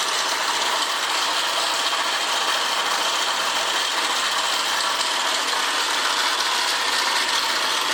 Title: PGM-FI プレスカブ50 AA01-1708***エンジン異音有